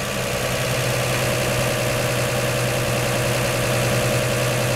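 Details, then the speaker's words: 1949 Chevy 3100 idling after swapping its Pertronix Flamethrower distributor advance springs to high-range copper for earlier mechanical advance; steady, fairly fast idle, seemingly from the added advance, with a smooth, even hum and no knocks or stumbles, seeming to start easier. "first impression seemed like it started easier that's one good thing seems like it's idling higher because it's got more advanced"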